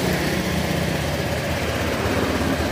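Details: Honda Click 125 after water pump replacement for coolant loss and overheating, run while coolant is refilled: small scooter engine ticking over at a steady, even idle with no knocks or misses.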